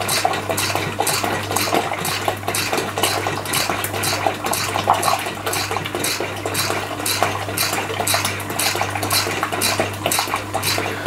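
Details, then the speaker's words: Stuart Turner piston water pump driven by a 1425 rpm motor on the old small pulley: regular light clacking about two strokes a second, measured around 125 rpm, roughly half its rated 240. "it's varying quite a bit but right about 125 around about 125 so it's a little bit slower than I actually thought it was"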